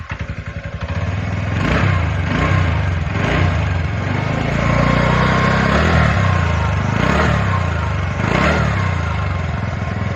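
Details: TVS Ntorq BS6 scooter after engine knocking repair: engine revs up smoothly, settles into a steady, even idle, then shuts off; no knocking.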